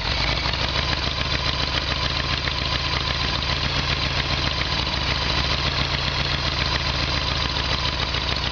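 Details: Harley-Davidson Evolution Sportster, fuel tap on reserve: steady, even V-twin idle with constant beat, no stumbles or backfiring now fuel reaches the carburetor; intermittent fuel starvation and backfire traced to faulty petcock.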